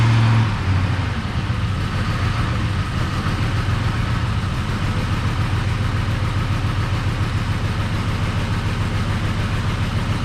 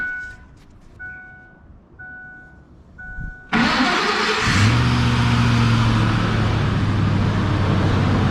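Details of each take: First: Ford F150 with a $100 Marketplace swapped engine, first run: flat, unchanging low idle; codes show throttle actuator control motor circuit open and forced idle, throttle body likely left unplugged. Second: Ford F-150 after an engine swap, once the throttle body was plugged in: chime beeps, then the engine catches at once and settles into a steady, smooth idle, good oil pressure, battery charging; normal idle.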